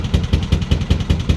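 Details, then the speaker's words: Narrowboat four-cylinder diesel engine: heavy, lumpy low thumping about five beats a second instead of an even beat, grinding down; engineer says it is running on only two of four cylinders; head off or engine removal needed. "ngines and he's basically said that i'm operating on two cylinders at the moment so and i can hear it i can hear it it's it's grinding down"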